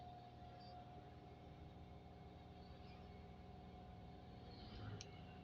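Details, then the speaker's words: Daihatsu Ayla, engine warm, handbrake held, no AC (AC makes it worse): fast idle hum stuck high, won't drop at all; faulty idle speed control (ISC) valve, later replaced. "Ini mau aku coba aku pegang handrem ya, biar nggak jalan ya. Nggak mau turun. Sama sekali nggak mau turun."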